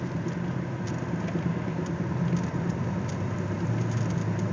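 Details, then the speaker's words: Imperial after replacing the fuel pressure regulator and MAP sensor, at 35 degrees, about five minutes into driving with the transmission still cold: a steady low rumble with road noise and no exhaust pops; running clean with no backfire, though power loss remains. "it's the engines not backfiring like it was before"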